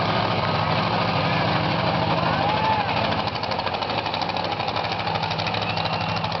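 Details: Grave Digger monster truck V8 driving past the camera back to the pits after freestyle. An uneven, stumbling, loping beat from a misfire; it ran rough all day, worst after the freestyle.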